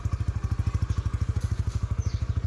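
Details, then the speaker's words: Honda Winner X 150 single-cylinder, nearly two years old, oil changed every 2,000–3,000 km with Shell Advance: steady, even thump about eleven beats a second, no ticking or rattle; sound unchanged, healthy idle. "So pakinggan nyo yung tunog, ganun pa rin. So walang nabago dyan."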